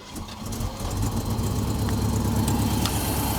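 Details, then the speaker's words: 1972 Mercedes 300SEL 4.5 D-Jet V8 after a timing chain, valve adjustment and new spark plugs: it catches and settles into an uneven idle with an irregular stumble and a puff of smoke. Better than before, but still a misfire at idle. "you can tell it's definitely running better than it was when I first got the car but you can see it's still stumbling see that it's missing"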